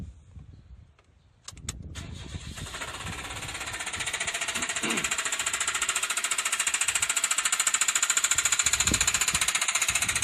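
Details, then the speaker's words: 2010 Nissan Moco (MG22) at about 60,000 km with poor oil-change history, just started: a loud, sharp metallic knock hammering about three or four times per second; a severe internal knock, with seized engine bearings (metals) suspected. "というような感じでですね、エンジンルームに誰かがいるようですね。"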